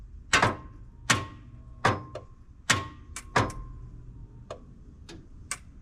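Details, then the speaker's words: 1992 Ford F-150: single sharp clicks about every 0.75 s with no cranking; owner suspects starter solenoid, battery won't hold a charge. "Yeah, this thing, I think we may have to replace the solenoid over here. It seems like it's going... All right, battery will not hold a charge."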